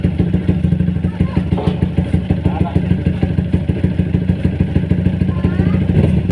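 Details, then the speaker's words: Motorcycle idling after service with Uma Racing HP3000 fully synthetic 4T oil; steady light clatter about three taps a second over the engine beat, knock still present though not heavy. "dengar bunyi nocking itu ada lagi pada kode kurang tapi aku cukup tahu"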